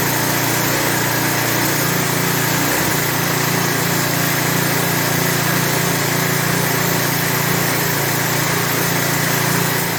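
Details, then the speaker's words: Lawn edger with 3.5 HP Tecumseh engine that would not run, after carb priming and properly installing the air filter: steady even buzz with no hunting or misses, running smooth. "It's running better than I thought it was going to. I ain't gonna lie to you. Once I properly installed that air filter, that engine smoothed out nice."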